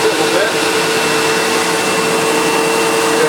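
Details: Sebo Automatic X1.1 950 W upright vacuum, heavily used and reported not working, running before refurbishment while height adjustment is tested: smooth constant motor whine, steady tone, no rattles or pitch dips; running normally.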